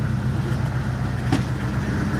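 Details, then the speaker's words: Carbureted engine on a car still a little cold, idling: steady, even low burble with no knocks or stumbles; carburetor idles very nicely, though throttle response expected to be poor until warm. "And as you can hear, this carburetor idles very nicely."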